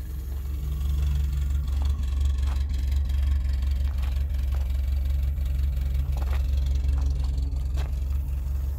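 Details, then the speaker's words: 1979 Honda Civic 1200, warm after about a mile of driving. Idle hum dips and wavers unevenly with stray clicks: rough idle. Owner suspects a bad spark plug or wire and an overdue tune-up; the muffler is also in poor shape. "she does run she runs good there's it sounds like there is probably a plug that needs to be replaced or a wire the whole setup"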